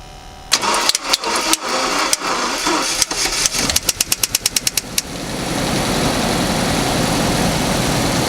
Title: Engine Noise On Start Up